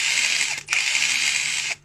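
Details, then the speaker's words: Electric impact wrench with abnormal noise: harsh, high-pitched rasping clatter in two trigger pulls, coming from the gearbox, not motor rubbing; one gear has a broken tooth and is replaced. "这个声音呢是从齿轮箱出来的，不是电机滑膛。如果电机扫膛的话，它声音不是这样的。"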